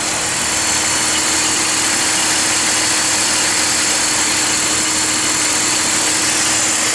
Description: Worn out idler (deflection) pulley on a BMW 325i